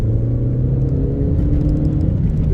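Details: Audi TT Mk1 on a test drive after its turbo repair (split pipe fixed, new OEM diverter valve fitted), warm evening: steady, even engine drone under light cruise with no whistles, flutters or chuffs; turbo running normally.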